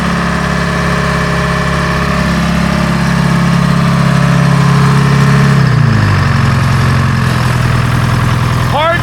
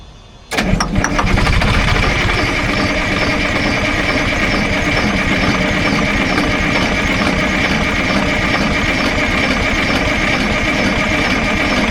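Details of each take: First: Grove crane with old Detroit two-stroke diesel, sitting 10+ years, cold start: deep steady drone settling to slightly lower idle partway through, runs even with no misses; healthy diesel idle. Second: Detroit diesel in an old Grove crane that sat over 10 years, during fuel system bleeding: the starter churns evenly for about twelve seconds without catching, as no fuel was yet reaching the system; it cranks without starting because the fuel is unprimed.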